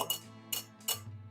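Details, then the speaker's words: Dirt bike wheel rim with tire off, spokes tapped; one rings short, dull and quieter instead of bright, a spoke visibly loose, compared with a tight one: loose spoke. "That's a loose one. That's a tight one. It just doesn't have the same ring."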